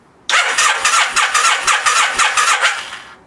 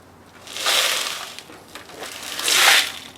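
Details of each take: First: 1987 Kawasaki Vulcan 1500, sat 22 years, after swapping bad jumper cables for a good pair: strong, even cranking of about four compression pulses a second for nearly three seconds without firing; starter turning the engine properly, spark not yet checked. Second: 1987 Kawasaki Vulcan 1500, sat 22 years in a shed, non-running: fuel tank tipped gives two hissing, gritty slides of loose rust scale shifting inside; tank badly rusted internally.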